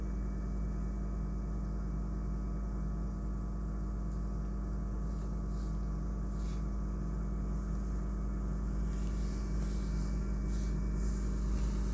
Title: Dyer Vent Still Making Noise When Off